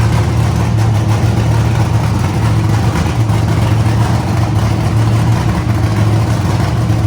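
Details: Idle of the CLIK-B8 wagon project; painters tape is over a manifold hole that made it run lean. A steady, low, even rumble holds a constant idle with no misses, hiss or ticking, so the idle is normal.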